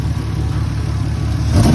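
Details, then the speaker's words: Lexus SC300 parked with hood up: lumpy uneven engine note stumbling as revs climb; rough running misfire, suspected from broken distributor rotor and shavings in cap; not confirmed. "yeah here how rough it's running right now what the hell man"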